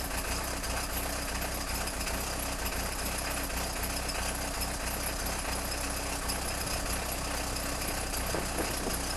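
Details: Peugeot 306 XLtd diesel cold start after a full glow-plug cycle, no throttle: struggles to fire, then idles roughly with harsh uneven clatter and irregular knock; owner suspects failing injectors, not confirmed.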